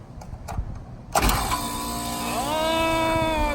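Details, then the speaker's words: New 2-ton Lennox condenser with a locked-rotor compressor, temporary hard start kit wired in: a hard clunk at start-up, then a hum that rises and holds steady. The compressor breaks free and runs, though it may still be replaced. "so I am super super super happy because I did not want to have to haul a compressor of those two ladders well probably going to change the oppressor anyway doesn't exactly sound so great"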